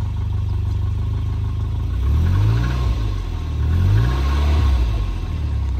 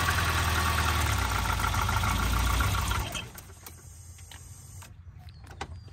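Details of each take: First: Volvo 940 Turbo bought unseen, started before a 300-mile drive in rainy, foggy weather: steady idle then two smooth throttle blips rising and falling cleanly with no knock or miss; light smoke thought to be condensation. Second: Volvo 940 Turbo with performance coil, bought sight unseen, first start: uneven idle for about three seconds then dies away; idle not set correctly, cause unclear.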